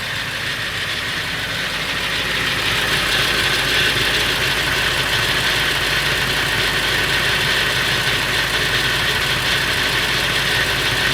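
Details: Late 1999 Ford F350 7.3L Powerstroke diesel at idle: a fast, fairly even metallic rattle, about three per second, over the diesel clatter. It is louder under the truck. The owner wonders whether it is the flexplate or the engine; unconfirmed.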